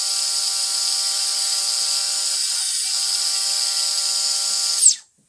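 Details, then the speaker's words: Micro quadcopter brushless motor after bearing replacement, run without prop below full throttle: clean, steady high-pitched whine at even speed for about five seconds, then quick spin-down; smooth, healthy motor. "oh that sounds so much better than this"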